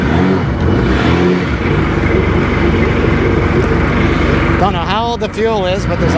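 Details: Rebuilt Sea-Doo GTX DI 951 two-stroke on the lake, going about 15; loud high-rev run stumbling intermittently under load, skipping right at 4200 rpm as RAVE valves open; top end good; owner suspects an odd, expanding RAVE hose.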